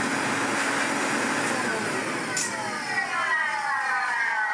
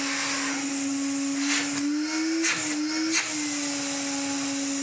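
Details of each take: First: 1970s Hoover 427 vacuum cleaner after full refurbishment: motor whine falling in pitch on wind-down with a rough, uneven rumble, even though the motor was serviced. Cause unknown; such noise is reportedly common on 427s. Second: Refurbished 1970s Hoover 427 vacuum, same motor as a Constellation: spins up to a clean, steady even-pitched whine and winds down smoothly.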